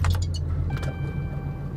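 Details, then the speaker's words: Cummins with G56 transmission, Valair organic quiet twin-disc clutch, Mobil Delvac 50 transmission oil, idling and cruising; loose uneven low rattle over the diesel idle, typical twin-disc clutch chatter, louder than stock. "you see how how loud it is the dartle and cruising and all that stuff it's you can definitely tell a difference between the stock one and this one"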